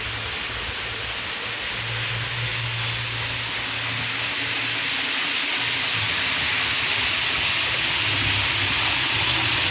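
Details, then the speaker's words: Hornby APT model train coaches after cleaning the wheels and copper pickup contacts: steady, even rolling hiss with a low hum and no squeal. Normal quiet running; one bogie may still squeak slightly. "all right so it's no longer squeaking"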